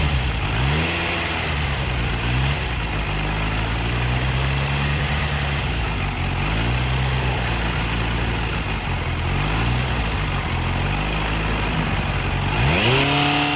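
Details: Kawasaki Z900 at 13,000 km: inline-four idles with a light, uneven tick under the hum, ticking following two throttle blips; engine ticking, cause not clear.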